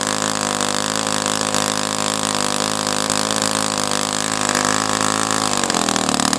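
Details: O.S. FS-120S-SP four-stroke model engine with pump and supercharger, first run, throttle stop 1 mm, high-speed needle at 2.5 turns open: steady buzzy high-revving note with soft, burbly edge, slight wavering, pitch dip near end; runs rich, cause suspected, not confirmed.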